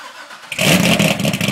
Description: 2008 Cammed Corvette coupe with LG street series headers, high flow cats, NPP dual mode exhaust cold start. Fixed an exhaust leak. Starts in loud mode, goes quiet.